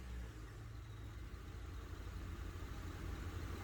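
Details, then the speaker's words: 2001 Honda Odyssey, parked with engine idling and brake pedal pressed: low steady rumble with no creak after the rear drum brake shoes were replaced and their contact points lubricated; the rear creak on braking is gone. "it sounds like it definitely went away completing this repair"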